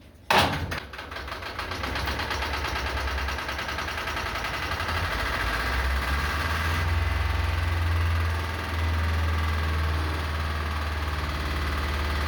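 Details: Lister emergency diesel for the air compressor and fire pump on the M/V Steve Irwin, hand-crank started: it fires up and settles into a steady, even low thumping idle with no misses or knocks; normal idle.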